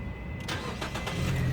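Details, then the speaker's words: 2014 Nissan Grand Livina 1.5 XV automatic, 75,000 km, first owner, service book: brief crank, then it catches promptly and settles into an even, quiet idle with no misses. Healthy engine start, with minimal vibration felt in the cabin. "Nah, untuk kondisi mesin, mobil yang mesinnya masih sehat itu getaran mesinnya tidak terasa di kabin, sangat-sangat minim seperti itu."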